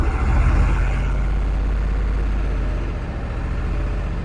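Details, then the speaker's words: 2002 Ford F250 7.3 Power Stroke diesel after priming fuel with key cycles: a lumpy, uneven idle with heavy low shake and irregular beat; code P1316, failing injector drive module, IDM and ICP being replaced. "okay fingers crossed that is not sound healthy at all"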